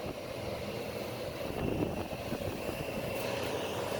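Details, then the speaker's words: Homemade Coolbot alternative on a window air conditioner with digital temperature controller, around 53°F reading: steady airy fan blowing with no compressor hum underneath; compressor not engaging, cause not confirmed. "The compressor's not on because you can just hear it blowing."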